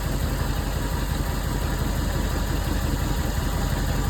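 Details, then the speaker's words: Cold camper engine just started after sitting about a month, with a new battery: low, fairly even idle with a soft chuff and some light body rattle over it. Normal cold idle; runs well. "As I say, for what these engines are, you know, she does run well. She does run well. She's cold."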